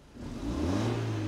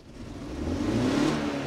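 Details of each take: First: BMW E46 compact, 2.0 N42 engine, after swapping a bad ignition coil for a known-good spare: engine climbs smoothly from idle into a steady rev, pitch rising evenly with no stumble, pop or miss; running clean on all cylinders. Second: BMW E46 Compact with 2.0 L N42 engine. Slow revving is fine, but a quick throttle tap makes it stutter and refuse to rev, as if running on three cylinders; a failing ignition coil is to blame: misfire.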